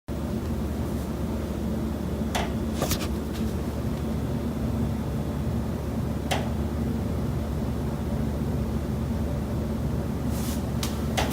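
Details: Sharp, irregular knocks inside a kitchen wall of a Chicago rental condo over a constant low mechanical hum; noises come from common building elements, landlord refused to fix.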